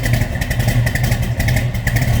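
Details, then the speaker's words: 1969 Chevrolet Camaro Z28, built 396 big-block V8 with under 2,000 miles, heard from the rear after cold start: deep, even exhaust burble with steady loping pulse, no ticks or knocks; healthy idle. "Slip around to the back so you hear this run. Again, remember, 396 big block underneath the hood."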